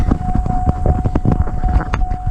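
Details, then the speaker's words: 1993 Cadillac Allante, sitting since 2005, new fuel pump module, cranks but won't start: steady mid-pitched hum under thumps at key-on; in-tank pump running, fuel pressure to be checked. "It spins over and it's it spins over and uh you can hear the actual pump module like the pump humming. You can hear it in the car."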